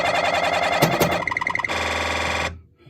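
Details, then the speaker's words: Gottlieb System 80 sound-only pinball board after repair, tested in a Spiderman game: a clean bell burst, bright chirps and a steady tone, playing Panthera sounds. The root cause was a failed 6530 chip; damaged through-holes near the 470 µF capacitor were also fixed. "There you go. You can hear the sweet sounds of Panthera."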